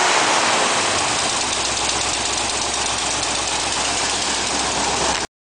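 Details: Ford 5.0 V8 at idle: uneven, loping idle with irregular stumbles; rough running, cause not determined.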